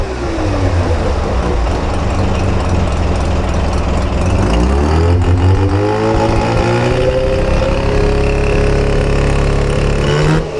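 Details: Mazda RX-7 FC with bridgeported rotary engine: lumpy, choppy idle with a light, regular clicking riding on top, plus one rev; clicking from the motor, cause unknown.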